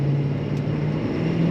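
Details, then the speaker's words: 2015 Ford 6.7L Powerstroke diesel with CP4 pump, towed in crank-no-start after 6–8 gallons of gasoline put in the diesel tank: on road test it runs with steady, even drone, normal fuel rail pressure, no knocking. "I think I'm going to call this a win for now. We'll make our recommendations to the customer and see what they say. Yeah, it sounds good now."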